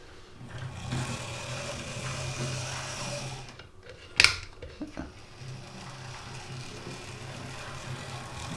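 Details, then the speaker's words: Oxford Rail Class 415 Adams Radial 4-4-2T model locomotive, second-hand with a poor motor, after lubrication service and pickup adjustment: soft, even motor hum under light track noise with one sharp click, much quieter; normal running in both directions. "Well, I've thrown that in both directions and seems to be running okay."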